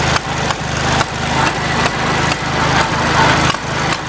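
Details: Farmall Cub tractor at start-up and while driving: a steady small-engine chug with a sharp pop roughly every half second. The cause of the popping is unknown and the owner is asking for ideas.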